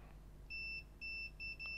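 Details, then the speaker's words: MacBook Air A1932 with no power, logic board with no visible oxidation, checked with a multimeter in continuity mode: repeated short high beeps, several bursts in two seconds, as the probes touch, indicating a short circuit on the board. "Là ça bip, c'est pas normal. Ok, donc déjà on a bien quelque chose ici."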